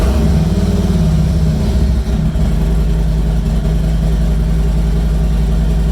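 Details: 2020 Harley-Davidson Street Glide just after an oil change, started to check oil pressure: loud, lumpy V-twin idle with an even loping beat and no knocks or ticking; oil pressure came right up, engine healthy.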